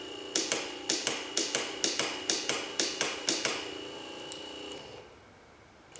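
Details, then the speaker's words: Chevrolet C10 two-speed wiper motor and switch tested from a junkyard truck, switch body providing ground, slow and fast speeds, no park function: sharp regular clicks about twice a second then stops; wiper motor works normally. "so this thing didn't go to the junkyard for a bad wiper motor but uh the two-speed wiper motor and the uh switch for the wiper juice uh works just fine"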